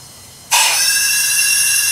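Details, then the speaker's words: Leak-down test with a Harbor Freight compression tester (part 92697) converted to a leak-down tester, air at 20–30 psi, exhaust rocker tightened to open the valve: sudden steady high hiss of air escaping past the exhaust valve. "see there you can hear the air leaking out of the exhaust valve if you had a bad exhaust valve that's what you'd hear"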